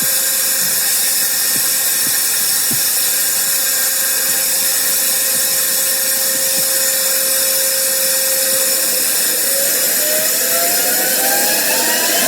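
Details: Home-built JM50 turbine on its second start attempt: a thin steady whine holds, then several tones climb near the end, but it never spools up to enough rpm to light; failed start from insufficient rpm.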